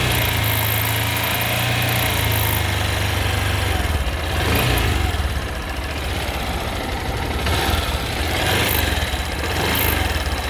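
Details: Honda XRE 190 single-cylinder engine held at high revs, with occasional rougher surges every few seconds. Intermittent engine noise under hard acceleration, cause not identified.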